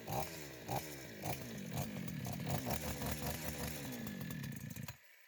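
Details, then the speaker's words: Chinese chainsaw after carburetor cleaning, new primer hoses, with the idle screw turned fully in; fires after a few pulls, revs and settles into a steady two-stroke buzz; faults were primer hoses, fuel filter, sediment-bowl dirt; carburetor needs adjustment: normal start and run. "запускається нормально це вже на вулиці простотестують тому що тут диму буде занадто багатсько"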